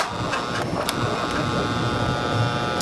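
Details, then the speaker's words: 16-inch Quality Superior pedestal fan that stopped working, on speed one: steady electrical hum with faint whirr, blades barely turning; owner suspects seized bearings, possibly the capacitor. "let's try speed one it's spinning a little bit but you do hear a humming in the motor"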